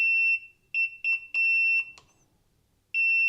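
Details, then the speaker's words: Ninebot electric scooter during a reset, powered on while holding the go/throttle button and left brake. The display shows "contact customer center, left brake error." Clear high-pitched beeps in uneven bursts, then a pause and another beep: the left brake error warning tone. "Okay, it's shown to contact customer center. Left brake error."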